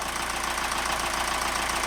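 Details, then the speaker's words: Newly rebuilt sailboat engine, fitted after 18 months in a Malaysian boatyard, idling in neutral at anchor: steady diesel clatter with a fast, even tapping knock on top. The engine otherwise runs well; the cause of the knocking is unknown and still to be checked. "the engine is running well it's just that sound which we're not I mean we have to figure out what it is"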